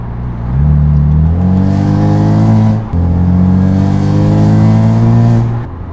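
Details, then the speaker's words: BMW F80 M3 with prototype equal-length midpipe, driven gently in efficient mode at lowest shift setting: deep buzzing exhaust drone around 2000 rpm persists after the midpipe swap; resonance cause not yet found. "so Moment of Truth there it is sadly the noise is still there you guys probably just heard"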